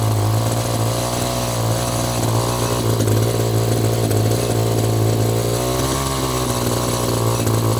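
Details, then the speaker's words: Echo GT-200i string trimmer with an aftermarket carburetor after the internal jet was turned out in half turns. Steady, high two-stroke buzz holding even speed without sagging or stalling; now running normally, needing only slight carb tweaking. "oh so far so [Music] good wow a honestly honestly I'm just going to let it air for a bit keep the garage door open but honestly i' I'd call this a win"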